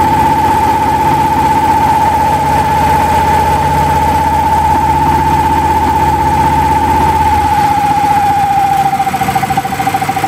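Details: Small single-cylinder engine converted to propane/natural gas, new NGK spark plug, zero-pressure regulator, loaded by grid-tie inverter, cold start: even, steady running under load, tone easing slightly near end; later ran poorly once hot.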